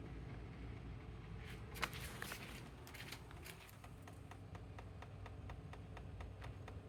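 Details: EGO LM2110 lawnmower: quiet motor whir with a crisp, regular click about three times a second; cause unknown.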